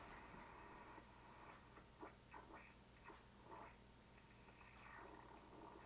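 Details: ICOM 751A ham radio in sideband mode receiving a signal-generator carrier around 211 MHz: should be a pure tone but comes through as a chirping, broken warble; the PLL is hunting and not locking, causing distortion on the upper bands.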